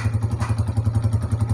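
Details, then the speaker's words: Honda CG125 old non-Euro (2010–11) single-cylinder after engine restoration (rings, piston), tick-tick fixed by tappet setting: even steady thump about ten times a second at idle, no ticking; normal healthy idle. "तो यहां पर देखिए दोस्तों bike की sound बड़ी बेहतरीन हो गई हमारी"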